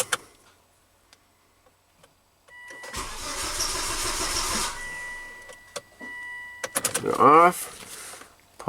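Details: Volvo wagon crank no-start, diagnosing fuel pump system with scope on pump module signal: starter turns engine over evenly about two seconds without firing; pump not delivering fuel.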